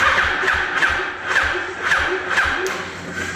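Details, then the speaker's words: 2004–2006 Yamaha R1 motorcycle, hot after a long ride: slow laboring cranking that never catches, sounding like a flat battery, while it starts fine cold; the starter motor is replaced. "But after warming it up and riding it for quite a while, the issue this bike is having is it won't start."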